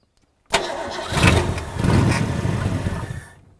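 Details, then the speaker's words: 1963 Ford Galaxie with a 289 V8 and Ford-O-Matic transmission, hit by a fallen tree, first start after sitting, fed fuel by hand down the carburetor; cranks, catches with a rough low rumble for about three seconds, then dies as the poured fuel runs out. "so Cam's gonna do his deal I'm gonna pull a bit of Monkey Juice down his throat"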